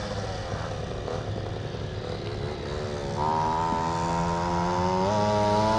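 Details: Stand-up scooter two-stroke, either the 1996 Zooma or the Goped Bigfoot with original Zenoah G23LH and JetPro pipe, run on a cold day after being revived: buzzy note climbs in pitch in steps as the throttle opens, clean and even. Running well.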